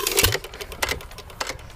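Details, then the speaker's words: Normal hit-and-miss free-wheeling on a 1 1/2 hp T. Eaton engine: crisp mechanical clicks about every 0.6 seconds with no firing, each the cam knocking the exhaust latch-out arm once per four-stroke cycle while coasting on the flywheel. "That clicking sound means that the motors ran through one cycle of the 4-stroke cycle. What we're gonna do is we're gonna listen and see how many times it will go through that 4-stroke cycle."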